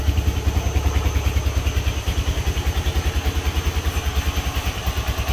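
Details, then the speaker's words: IGM Street 160cc motorcycle after fixing loose engine mounting bolts and cleaning a dirty air filter: steady, even low thumping at idle with no knocks, clatter or rattles; engine now sounds healthy. "Pero lo importante es que ahorita ya funciona muy bien quiero que escuchen ustedes mismo Así es como debe estar sonando un motor"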